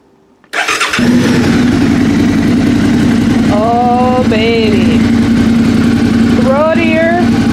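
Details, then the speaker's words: 2013 Suzuki Gladius after fitting lighter M4 aftermarket exhaust replacing stock: starts and settles into a steady, deep, even idle rumble with firm exhaust note, no knocks; deeper rumble than stock, healthy. "Brodeur got a deeper rumble to it still here Samantha noise but definitely hear the exhaust"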